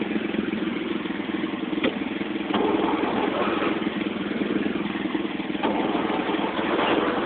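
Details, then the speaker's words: Engine at 1,863 hours, parked outside, possibly wet; uneven cranking with a few weak catches that never pick up into a run, fuel not getting up to it; fuel starvation. "no fuel's not getting up to it"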